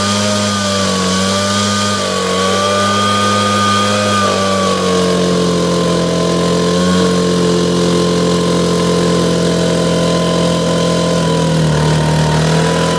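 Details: Echo PB770H two-stroke blower with a hot-restart problem, after an adjustment screw was backed off a quarter turn and restarted with no prime or choke: smooth, even high buzz at steady pitch with small dips; starts and runs cleanly.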